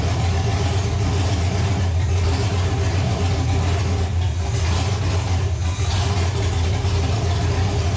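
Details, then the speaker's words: Nova engine, restarted after six months of troubleshooting, with readings around 300-400: steady, even rumble with a smooth, consistent beat and no misses or knocks. Runs healthy; a possible wiring issue remains. "assuming this thing actually fires up it's going to be extremely loud so headphone warning"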